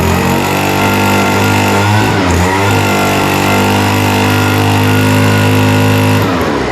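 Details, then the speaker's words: Vintage WeedEater two-stroke leaf blower, Walbro diaphragm carburetor with only an idle mixture needle; idle leaned to offset a rich top end: screams at high revs with thick burbly note, pitch sags twice; hesitation going to full throttle. "The one mixture needle that we have is for idle mixture, but now it hesitates going to full throttle."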